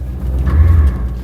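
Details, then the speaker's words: C4 Corvette (1984–1996) ABS module behind the driver doing its normal one-second self-test after each start once the car reaches a few mph; a short low buzz heard once as the car first moves, normal. "Bạn thấy đấy, sau mỗi lần khởi động, mô-đun sẽ thực hiện một bài kiểm tra tự động kéo dài chỉ một giây, được kích hoạt khi xe đạt tốc độ vài dặm/giờ. Âm thanh sẽ như thế này..."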